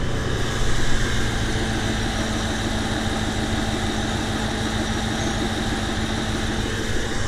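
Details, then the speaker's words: 1993 Chevrolet C4 Corvette with a brand-new rebuilt V8, after swapping crossed spark plug wires that had caused a misfire since first start. Smooth, steady idle with no skipped beats, now firing on all eight cylinders. "that's all eight all right driving it so much better that that is a huge difference"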